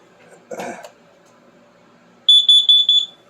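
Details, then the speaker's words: Triumph Spitfire idled in closed garage during winter storage maintenance: quick run of loud piercing high chirps from a carbon monoxide detector set off by exhaust fumes; CO alarm. "now that's my carbon monoxide detector cuz I had the car running good thing to have laying around"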